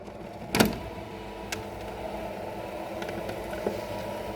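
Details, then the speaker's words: Roller shutter tubular motor, mounted on the left side, raising the shutter after the end-of-travel limit is set with the yellow button; a click, then a low, steady even hum — running normally. "Là, on va remonter le store et il va s'arrêter en position."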